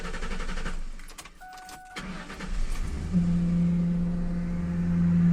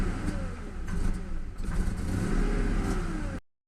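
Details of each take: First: Ford Mustang 4.6 (2000 or 2001) just after start-up: a loud, steady horn-like hum rises over the idle at the air filter duct and changes when the part is tapped. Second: Ford Mustang 4.6 (model year 2000 or 2001), idling after the cleaned valve was refitted to cure an odd hum at the air filter duct: the engine blips up and down cleanly with no hum or rattle. The repair worked and it revs freely.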